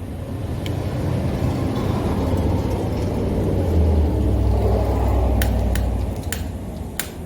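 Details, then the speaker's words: 125cc pit bike after installing a Mikuni VM22 clone 26 mm carburetor, choke on at start; single-cylinder holds crazy high idle instead of settling; cause thought to be jammed throttle cable (idle air screw or air leak also considered). "it really likes this carburetor but there is an issue and I don't know can you tell me what the issue is let's go on inside and take a look now obviously the issue was it was Ireland crazy high"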